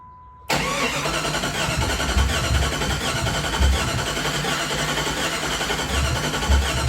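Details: Jeep Grand Cherokee, sat about 10 years since 2006, fuel added; starter cranks steadily, engine sputters but won't catch; no check engine light, so engine computer suspected dead or slow, unconfirmed.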